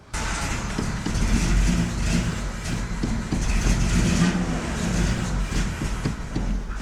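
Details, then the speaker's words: Nissan D21 Hardbody after replacing fuel lines: engine runs with uneven, lumpy low thumping, no steady beat; sounds rough, cause unclear; a fuel leak at the fuel filter clamp was found afterwards and redone. "You know, I don't like the way this sounds. Just gonna shut this project down for the night, maybe, and take another look in the morning."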